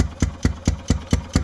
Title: ⛳️ 2018 Ezgo Golf Cart Running Rough/Valve Adjustment